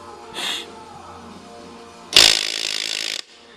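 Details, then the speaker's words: Removed power window motor from a 1979 Hurst Olds, bench-tested: a short whir, then harsh grinding as it spins about one rotation and brings the window halfway down; the gears inside are stripped. "there you go Gear's grinding let me reverse it there you go spins about one full rotation brings the window down about halfway then it grinds"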